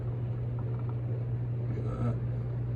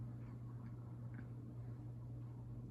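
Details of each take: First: SMC/Galleria 30-inch hugger ceiling fan, new, on the factory speed control, the quietest setting: steady low hum under soft air noise that never wavers; 60-cycle motor hum, louder than an Emerson on high. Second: SMC/Galleria 30-inch hugger ceiling fan on medium via an added aftermarket speed control: low, steady 60-cycle motor hum, smooth and noticeably quieter than factory.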